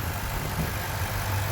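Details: 2009 Ford Mustang GT after new phasers: short steady low idle with even beat, no ticking or knocking; engine sounds healthy.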